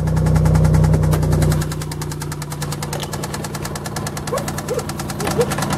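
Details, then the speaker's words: 1990 Nissan 300ZX Z32 just after starting: steady cyclic knocking three to four times a second over the idle that speeds up with throttle. Owner suspects a particular spot but is unsure. Engine knocking at idle. "And so as you can hear how the noise goes on in a cycle, repeatedly knocking like this."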